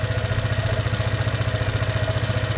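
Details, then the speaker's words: Honda ADV 150 scooter at idle after installing a prototype DCR camshaft: a light, fast tick over the low putter, from valve clearances deliberately set a little on the loose side. "the valves are little i did them a little bit on the loose side"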